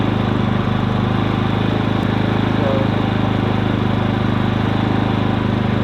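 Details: New Harbor Freight Predator inverter generator, manufactured March 2020, running after first start with eco mode off; steady, fast, even drone with a smooth low hum, no misses, rattles or surging, quiet and healthy.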